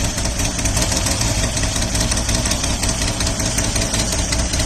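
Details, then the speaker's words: 1979 Opel Monza Series 1 barn find, straight six: rough, uneven idle with an irregular stumble, still misfiring on one cylinder; pulling number 6 changes nothing and a noid light points to a faulty number 6 (possibly 5) injector. "You'll hear that pickup now. Obviously it's still misfiring a 1 cylinder."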